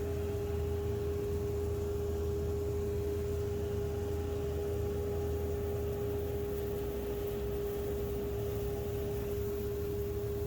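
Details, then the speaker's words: Homemade 2 HP cyclone dust collector from a modified Harbor Freight unit: smooth even motor hum with steady mid tone and airflow rush, no rattles or surging; quieter than expected, runs normally. "Actually, it's not even that loud. I'll leave the volume on for a second so you can hear it, but it's really not as bad as I expected."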